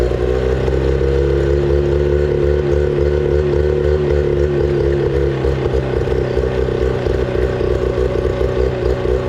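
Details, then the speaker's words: 25HP Mercury two-stroke outboard, sat four years, after carburetor cleaning to fix fuel issue, fresh gas, on water flow: steady, lively pop-pop idle, a bit high but smooth; running like factory new. "I mean, the engine is running same as it came out of the factory, guys."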